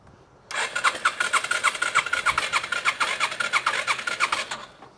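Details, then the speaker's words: 2005 Yamaha TTR 230, cranked with exhaust removed: steady three-pulse-a-second cranking, no firing, no air pushed out; owner first suspected a bent exhaust valve, then found a broken exhaust rocker arm. "okay so that tells me we just we have a bent exhaust valve it's not pushing out any air out of there so let's pull the exhaust side valve cover off and see what's going on in there oh look at that broken rocker arm look at that that's why we're not getting any any action"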